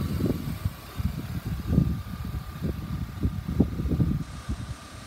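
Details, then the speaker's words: 1999 BMW E36 328i automatic convertible, bonnet open, engine bay dry; low steady idle with soft even pulse and no shake or knock, motor mounts good. "nice and dry ey exactly what you want to see no vibrations your motor mounts are"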